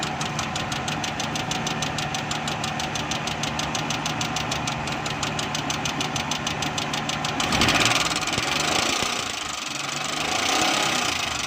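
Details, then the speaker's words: Petrol car engine idling with an abnormal noise, heard while locating its source: a steady sharp knock about three beats a second over the running sound, engine knocking. "दोस्तों, अभी गाड़ी में engine में आवाज़ आ रही है तो हम इसको चेक करेंगे किधर से आवाज़ आ रही है।"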